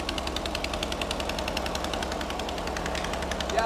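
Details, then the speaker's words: Mystery air-cooled VW flat-four built from used parts, first run: fast, sharp puffing tick on the idle from a small exhaust leak; otherwise running well. "yeah it's got a little I got a little bit of an exhaust leak over"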